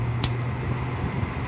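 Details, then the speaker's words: LG 5,000 BTU window air conditioner, fan only on high, compressor off: steady low hum with soft even air rush, nothing rubbing or rattling; barely louder than low, with similar airflow; normal fan running on high. "It's hardly anything. It's ridiculous. It's hardly anything with noise, and it's hardly anything with airflow."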